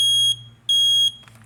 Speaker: here's your smoke alarm sound you hear how it was three beeps that's what you want to know it's three beeps